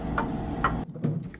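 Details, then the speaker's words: Refrigerator: two or three light irregular ticks half a second apart over low hum; normal tapping from refrigerant flowing between smaller and larger tubing. "It's just the refrigerant flowing through different size tube inside system. You will see that. Small tube and a bigger tube can create that tapping noise."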